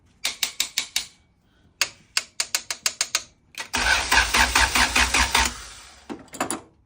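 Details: Honda EK with a B-series engine swap and an aftermarket harness installed: bursts of four to six sharp rapid clicks, then a brief buzzy chatter, with no cranking; the starter solenoid is not engaging, traced to a disturbed power cable causing poor solenoid contact.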